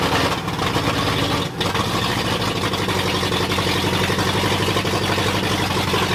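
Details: 1979 Ford F-250, brand-new 351M V8 first start, carb gummed from storage: runs fairly steadily after a brief dip with slightly uneven beat; owner can't get ignition timing right yet, cause not confirmed.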